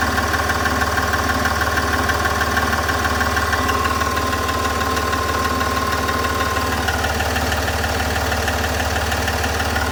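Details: SDV6 diesel at idle: a crisp, even tick about three times a second over the diesel clatter. Engine ticking noise, source not pinned down.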